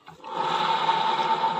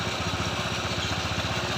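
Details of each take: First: Honda ADV 160 scooter, about 5,000 km and two years old, CVT pulley spinning freely with a steady rough gritty whirring growl ("ngorok"); worn pulley needle bearing found and replaced, restoring smoothness. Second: Honda ADV 160 scooter, about 5,000 km and two years old, CVT after replacing the worn pulley needle bearing; previously rough, now a quick, even smooth pulsing drive for about three seconds. Smooth CVT running.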